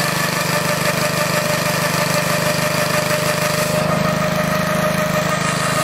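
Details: Old Onan engine, fuel tank previously found with nasty old fuel, fired up to show how it works: even quick putter about three beats a second with faint steady whistle; runs smoothly, normal running.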